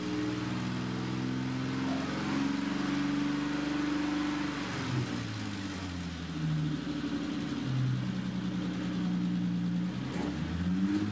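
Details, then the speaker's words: BMW E30 325i Touring after new engine and fuel-supply parts, revved without the throttle cable: climbs and settles cleanly with no hesitation or stumble, revving much better than before; idle no longer creeps up, though a leak at the throttle body was seen. "running it seems to be revving up much nicer than it was before the throttle pedal or mechanism must be a bit"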